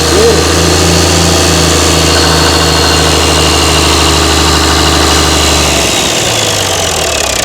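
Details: Mystery old six-cylinder Perkins turbo diesel from a farm, no history, just started: steady rumble with an even, lumpy beat around three per second, holding firm with no misses; running normally.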